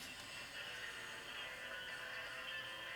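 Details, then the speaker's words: Diatone JR-911 boombox playing CD source: only very faint, thin music with no bass comes through; pre-amp issue gives weak audio output, also faint on radio; cassette deck needs a new flat belt. "And let's see, can we hear anything? Yes. So if you can hear that, it's very faint."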